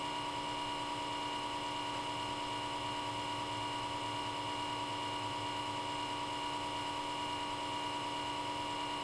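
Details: Comcast Xfinity X1 DVR cable box: the small left-side cooling fan spins up at power-on and runs at high speed constantly, even with the box off, until unplugged; a steady, unchanging high-pitched hum and whine.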